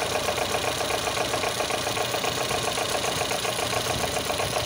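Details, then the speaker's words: Volvo B20 engine with worn original fiber timing gears, at idle: uneven idle with rough clattery rattle repeating several times a second, ignition timing advance jumping around; worn timing gear noise, gears to be replaced. "the fiber gears usually were gradually making the car sound like a dizzy uneven at idle park advance is also jumping all over the place shows that the timing here is obviously war"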